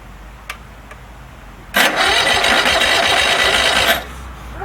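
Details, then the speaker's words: DR all-terrain brush mower with 17 hp Kawasaki FH500V, won't run off choke, before carburettor cleaning: catches with a rough ragged roar about two seconds then dies; owner suspects clogged carburettor air bleed causing fuel starvation. "it's got a problem where it won't run off a choke most likely a clog the air bleeding the carburetor"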